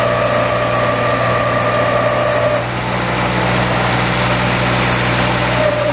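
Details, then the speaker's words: Very old Bobcat 825 skid steer: the engine labours with a steady whine that shifts pitch, as if the hydraulics are going over relief. It wouldn't lift its own bucket; owner suspects a relief valve in the control valve stuck open. "This thing is really not running very well. It sounds like the hydraulics are going over relief, and then to the end of that, it wouldn't even lift its own bucket."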